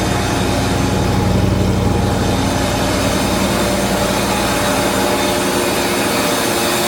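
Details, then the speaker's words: Mercedes 450 SLC 5.0 V8 parked since 2001, first start after fuel pump hot-wired, fuel lines flushed and oil injected into plug holes: loud uneven ragged idle with drifting pitch, improving slightly, heavy exhaust smoke; rough running. "Okay, tried to fire it up and it started roughly, but now it's run a little bit better."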